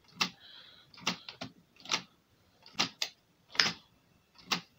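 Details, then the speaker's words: Toshiba PC-G10 cassette deck, won't rewind: light irregular clicks about once a second from the transport; owner suspects linkage or belt, belts replaced. "all right so i think he's not right here some sort of linkage mechanism or belt i think he's making this more belt so i shall have to investigate a bit fully"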